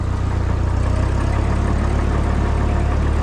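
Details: Old machine, first start after sitting all winter on the battery left in, with oil good: a steady low rumble with an even beat and no knocks or misses; it idles smoothly and sounds healthy.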